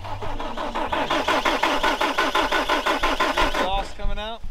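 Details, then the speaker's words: Frozen diesel skid loader in cold weather, cranking: starter churns about three compression pulses a second with no firing, then quits; won't start, suspected out of fuel with air in fuel lines, not confirmed. "it's not building pressure getting hard or nothing maybe try adding some more fuel to it"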